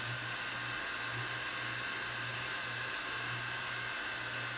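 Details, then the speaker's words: Toshiba Betamax VCR revived after about 40 years, part re-glued: steady motor whir with faint high tone during rewind and fast forward, slightly noisy then settling; normal tape transport. "You can see things are moving along pretty good. It's a little bit noisy there at first, but it's starting to settle down."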